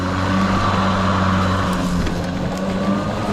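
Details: Kobalt 80V Max cordless lawn mower, used 4 years without issues, running on low speed setting while mowing: steady low hum, soft even tone, no knocks or rubbing; quieter than gas, noise mostly from blades; normal.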